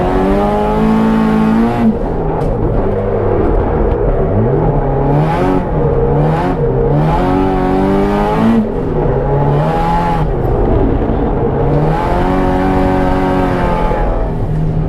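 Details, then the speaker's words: Track car at Willow Springs, soon after the timing chain tensioner re-gasket and valve cover refit: revs rise and fall with the note stumbling and briefly cutting out under load. Engine breaking up or misfiring, cause not identified. "It's breaking up a little. Yeah, I heard. That might clear up on its own though, I don't know."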